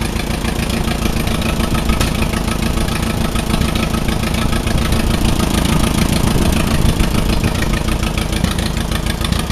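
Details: Allis Chalmers WD45 tractor engine idling before a compression test, warming up; runs better with choke pulled. Lumpy, uneven idle with an irregular beat about three to four times a second: misfire at idle, owner thinks cylinder 4 (nearest radiator) is dead; unconfirmed.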